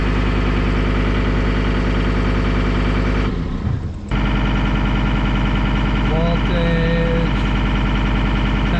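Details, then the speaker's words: John Deere 326D skid steer diesel, first run after broken-crankshaft repair and over a year sitting, no coolant yet: steady, even idle with no knocking or rattling, no active codes; normal diesel idle. "i got no coolant in it because i'm gonna put that in now that it's running sounds good though"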